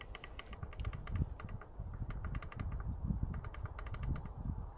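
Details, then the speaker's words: 2024 YT Decoy e-mountain bike after 100 miles, frame shaken: quick light irregular ticking clatter of loose internal cables slapping inside the down tube; owner has padded them with bubble wrap and zip ties. "rattles and when I when I rattle it it just keeps rattling you have I stop cuz it's rattling around in there"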